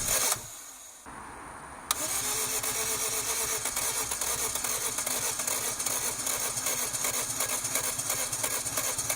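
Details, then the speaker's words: Daihatsu Cuore Avanzato TR-XX R4 first start after a 13-year-late sludged-oil change and new filter: cranking, a pause, then the engine catches into a rough, busy, uneven run after several attempts. "now it was time to actually try a start I knew this would need several attempts and as you can see from the counter on screen I wasn't wrong but soon there were some signs of"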